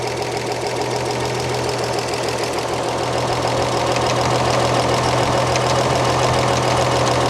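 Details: 1938 Chevrolet coupe, warm idling engine, valve cover off, valves adjusted while running, exhaust spec 14 thousandths: fast light ticking keeping pace with engine from loose exhaust valve clearance at the rocker; excessive valve lash tapping.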